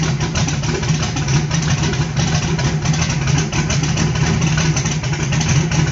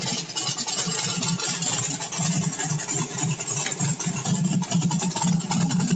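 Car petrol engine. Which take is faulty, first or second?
first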